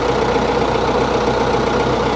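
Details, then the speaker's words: Case 1845 skid steer diesel, first start after reinstalling hydraulic pumps and adjusting neutral stops: steady, even idle, smooth low rumble, no hydraulic pump whine; axles on both sides still turning, so neutral needs further adjustment; normal idle. "sounds all right so far i don't hear any lining i see the tire the axles are turning"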